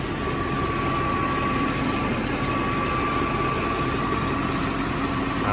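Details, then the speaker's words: Mercedes E420 V8 idling warm after a drive and holding revs, before the decision whether to replace the metal cam oil tubes: smooth even idle, only light injector clicking, no lifter tick heard; normal idle. "all right you guys just got back from our little rip around and hanging the revs and overall I mean she sounds really good actually the only thing you really hear is the injectors"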